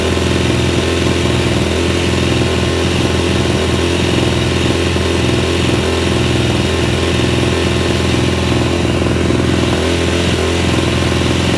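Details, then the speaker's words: Yamaha YZ250F that kept stalling, after clearing a clogged pilot jet (stock 42 fitted) and installing a Boyesen Quickshot 3 accelerator pump: a steady low thumping idle that wavers slightly. It idles better but the carburetor still needs adjustment. "foreign s now it idles a little bit better so that helped out a little bit"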